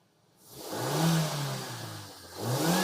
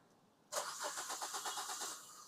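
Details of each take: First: Maruti Suzuki SX4 that cranked but wouldn't start, no check engine light, after replacing faulty ECM; two smooth rev blips rise and fall cleanly with no misfire or hesitation; engine now starts and revs healthily. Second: Maruti Suzuki SX4 cranking: starter spins engine evenly about seven turns per second but never starts, no check-engine light; crank no start from failed ECM, fixed by replacing ECM.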